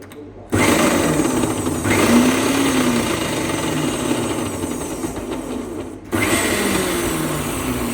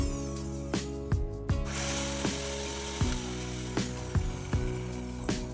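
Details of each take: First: Meat grinder before repair, motor running: loud coarse gear chatter over motor hum, stopping and restarting; heavy noise and won't take load because the gearbox gears are slipping. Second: Meat grinder after repair, tested before full reassembly, new gears fitted and greased: steady motor hum with light gear whir and a few soft clicks; gearbox running smoothly, normal.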